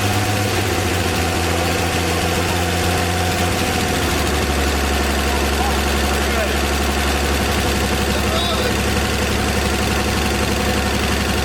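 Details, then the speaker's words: 1954 Chevy 210 two-door coupe engine after sitting an unknown time, first run: steady, unhurried petrol idle with an even beat, no knocking or misses; runs good with oil pressure. "Motor runs good. We got oil pressure."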